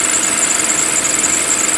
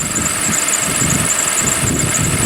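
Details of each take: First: 2007 Toyota 2GR-FE V6 (about 25,000 miles in 7 years) warm idle after a cold start: busy, fine metallic valve-train rattle, considered normal for this engine with mileage. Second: 2007 V6, about 25,000 miles over 7 years, cold January start: busy metallic rattle with a faint squeal over a steady idle. Owner says this is normal for these engines and it smooths out as the engine warms.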